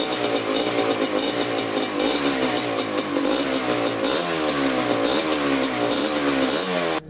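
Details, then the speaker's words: 1987 Kawasaki Tecate 4 250cc two-stroke quad, freshly rebuilt, first-start break-in run blipping the throttle: crisp buzz climbs and drops cleanly, no knocks or rattles, no leaks; normal throttle response. "We're gonna let it run for about 10 minutes, whipping the throttle. Thing sounds really good. No leaks yet either."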